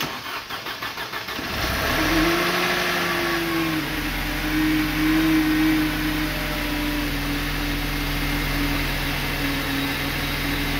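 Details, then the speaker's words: Car with 243 on the odometer that came in with an engine fault and a too-lean LPG mixture, on its first start after timing work. It cranks about 1.5 s, catches cleanly, revs briefly, then settles to a steady even idle; healthy start. "dobra pierwsze zapalenie zobaczymy jak to będzie chodzić dawaj"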